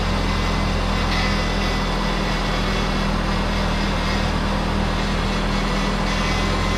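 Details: 2000–2004 Subaru Outback 2.5 L 4-cylinder boxer, just after power steering pump replacement, reservoir overfilled: smooth, even idle with a steady low hum and no whine, knock or groan; no leaks, normal idle.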